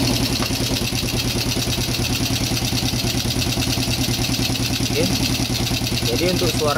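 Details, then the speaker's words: Yamaha Jupiter Z1/Z Robot single-cylinder at idle after an engine rebuild, air filter hose not yet fitted: steady, even putter with light top-end clatter, judged decent though not 100%. "seperti itu ya teman-teman kita bisa sama-sama dengar Oke jadi untuk di bagian mesin Kalau menurut saya pribadi ya ini sudah lumayan Meskipun tidak 100% ya"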